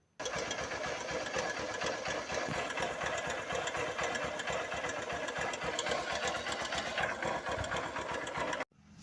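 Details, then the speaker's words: 2007 Honda Titan 150 carburetted motorcycle at idle: fast, steady metallic clatter like iron tapping over the single-cylinder beat; pointing to a loose, worn cam chain slapping the case. "Aí pessoal, vocês viram aí, ó um barulho bem chato. É como seesse ferro batendo, né?"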